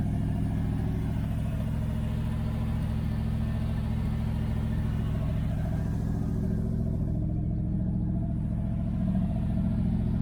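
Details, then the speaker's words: 1978 Dodge Aspen R/T V8 with newly installed exhaust system: deep, constant, loud boomy rumble at idle; owner suspects a leak up front and needs more welding, though no clear puffing tick stands out. "Definitely hear them. So yeah, it's pretty loud."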